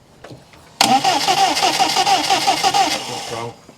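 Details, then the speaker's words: Rover 200vi first start after a head gasket replacement: the starter churns, then the engine catches with an uneven, pulsing roar and a ringing tone. The cause is unclear, possibly just first pressure-up; the timing marks and compression are to be checked. "but james is sure he's had an unusual noise which you shouldn't have heard but it may have just been the car just firing from getting up to pressure for the first time"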